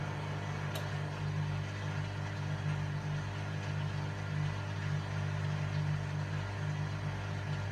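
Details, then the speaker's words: Hotpoint Aquarius Extra WMA40 washing machine on a test wash with the top off: steady low drone from the spinning drum with a loose, uneven rumble. The drum looks bent and runs rough; owner suspects the bearings are gone. "Just looking at that drum there, it doesn't look like it's running smooth. It looks like there's a bit of a bend in the drum. Let's just leave it and see what kind of noise it makes."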